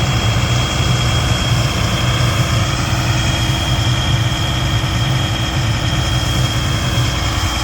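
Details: Stewart & Stevenson M1078 LMTV military diesel, abandoned and just brought back to life after refuelling, with a tank of old JP8; it idles with a deep, uneven, lumpy throb and loose vibration, an idle the owner calls horrible.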